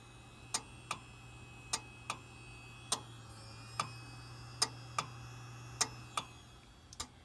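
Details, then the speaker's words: Dell Dimension 3100 desktop with a replacement 160 GB Western Digital hard drive; sharp clicks often in pairs under a faint steady hum at about fifty a minute; the hard drive is clicking repeatedly and likely failing. "very clearly the hard drive, and probably another bad hard drive, but for a different reason."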